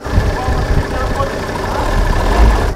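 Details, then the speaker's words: Car recently imported from Germany, idling: rumbles unevenly, lumpy and surging, judged to be falling apart; rough running engine, cause not stated. "Слышите, как мотор работает? Я бы к этой машине в Европе вообще бы не подошел. Да оно рассыпается"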